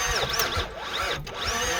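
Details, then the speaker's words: Junk Nissan Quest 3.5L V6 with suspected timing-system issues, after being held at redline: slow, strained cranking, starter whine sagging and recovering as voltage drops to 8 V, a couple of cylinders down, locking up; seized engine. "No, it sounds like, you hear how it's cranking? She's coughed. Well, we got a couple cylinders down."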